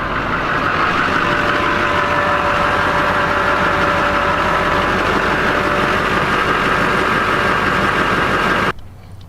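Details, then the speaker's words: Diesel truck with AirDog fuel air separator, after new filters were installed: steady even diesel idle with smooth clatter and no misses or knocks; normal sound restored. "There we go, it just switched to the regular sound. That's exactly how they are supposed to sound normally."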